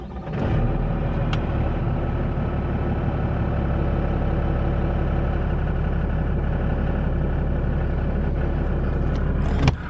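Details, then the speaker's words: 2010–2012 Ram 3500 Mega Cab diesel, 258,000 miles, warming up at idle with an uneven low knock and rattle underneath; transmission pulled traced the noise to the torque converter. "all right guys well we got the trends pulled out of this 10 mega cab and we found out what our noise was bailey's been cleaning up the converter clean up these surfaces and also um running a tab through these holes"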